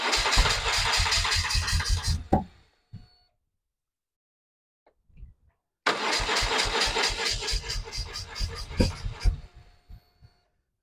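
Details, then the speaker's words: BMW R1100R after fitting replacement Hall effect sensor, whose mounting bolts vibrated loose and likely shifted alignment: cranking gives ragged popping and banging, runs seconds then dies; owner suspects ignition timing is off, unconfirmed. "I'll just give you an example of what happens when it tries to start everything's through you can hear it popping and banging"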